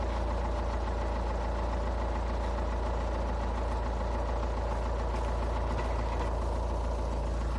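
Cold diesel idling with a steady hard knock riding on the clatter, about three per second; cold-start knock, source unknown.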